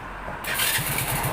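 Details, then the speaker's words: Honda Dream 100 motorcycle, freshly rebuilt: electric start now catches and runs, needing a little throttle; the original electric-start failure came from a worn starter motor drawing heavy current and cranking too slowly for spark. "ครับสตาร์ทติดเลยนะครับเป็นเพราะอะไรครับ"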